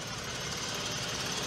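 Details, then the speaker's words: Engine overheated from leaking water pump, blown head gasket: uneven lumpy idle with irregular stumbles under hiss, check engine light flashing, worse after being driven in; misfire from blown head gasket. "it's running worse than it did yesterday when i checked it out actually we got the check engine light blinking in there now"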